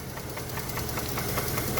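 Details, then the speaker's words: Chevrolet Traverse engine bought from a neighbour who said it had been jumped: deep, regular bottom-end knock at idle, a few heavy thumps a second. It persists after thick oil plus Lucas oil stabilizer, so the additive did not stop the knock. "as predicted it kind of came back it also kind of goes away just kidding it doesn't oh man that's awful"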